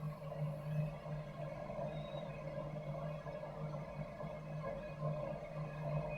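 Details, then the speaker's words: Campo 200,000 BTU heater, thermostat-controlled, fed through 25-foot 1-inch hose; after air purges from lines the flame lights, fans not yet on while heat exchanger warms; steady low hum and even roar, no sputter or surging: normal burner operation. "So it takes a second for all that air to get pushed out of the fittings and out of the lines. You can hear the flame kicked in now."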